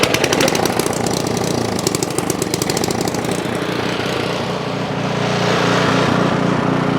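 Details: Ariens Path Pro 208cc four-stroke single-stage snowblower starting on key after the surge fix; the single-cylinder engine pops rapidly and evenly, then settles to a steady drone without hunting up and down, running smoothly.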